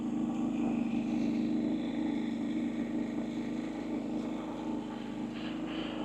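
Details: Harbor Freight Predator 3500 inverter generator during periodic exercise run: quiet, steady hum at even speed, no surging, knocking or rattles; running smoothly.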